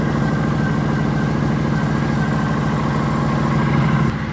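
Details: 2009 Kawasaki VN900 Classic fuel-injected V-twin, after long storage, fired after new spark plugs: even, lumpy V-twin beat at steady idle around three pulses a second, no misses or rattles; running properly.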